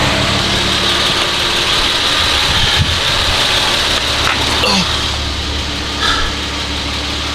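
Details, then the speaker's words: BMW E36 being refreshed, cooling system being converted from fan clutch to electric fans, not yet roadworthy: steady even idle hum with no misses or knocks, under some hiss; normal idle. "it's kind of crazy see this thing run that's crazy hearing that bro i miss that sound man i miss it man"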